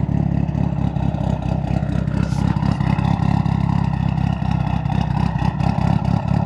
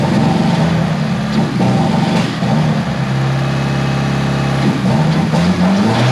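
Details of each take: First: Turbocharged engine idling steadily just after installing a Tial blow-off valve, with a few gentle throttle blips that settle back evenly and no misses. It now idles; the owner believes a vacuum leak without the BOV had prevented idling. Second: Tial BOV just installed on a car started cold that morning: loud revving that wavers and sags, pitch hunting, bogging at idle when given gas; owner thinks it feels like fuel cut, cause unconfirmed.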